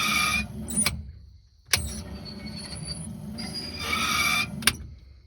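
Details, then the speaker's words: Land Rover Series 2A wiper motor after new grease: steady sweeps with a sharp click at each reversal, running freely without grinding or binding; wiper motor working well. "it works really well actually sweet because that's that then"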